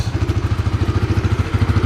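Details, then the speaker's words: Honda CB150X motorcycle, over 2 years old with 24,000 km of daily use and touring, stock engine, idling smoothly with steady even single-cylinder pulses and no clatter or knock; normal idle. "Tuh untuk KM udah lumayan gondrong ya, 24.000 guys ya, karena motor ini dipakai hari-harian juga guys, nggak cuma untuk motor touring atau simpenan ya. Oke, kita touring nih tuh, masih halus ya, masih halus"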